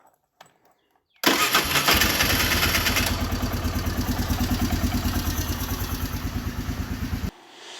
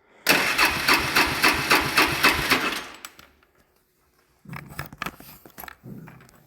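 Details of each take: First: ATV about 20 years old, sat unused in a barn for years, after first repair by a beginner with the fuel valve turned on: quick catch on the starter, a brief flare of revs, then a steady even idle of about three beats a second; starts and runs normally. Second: Fourwheeler (ATV) cranks at about four starter pulses a second for a few seconds, then short cranking bursts, but never fires; earlier it started only on leftover carb cleaner in the air intake, after carburetor removal and reassembly.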